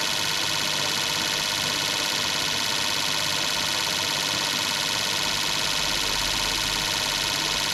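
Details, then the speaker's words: Fuel injectors on a bench testing unit during cleaning service, run through high-speed, accelerating, idling and medium tests, flow glasses within one to three; steady spray hiss with fast even ticking about three per second, no missed pulses, normal operation. "Okay, here's another test. High speed. Accelerating test. Idling test and medium test."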